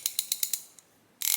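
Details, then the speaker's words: About 35-year-old Snap-on ratchet, serviced and greased several times, used for comparison with a new ICON swivel head: crisp, evenly spaced coarse clicks from an older low tooth count, not metal on metal, lubricated; normal ratchet clicking. "but you can hear it just sounds like it's not metal on metal sounds like there's a little bit of oil or grease in there"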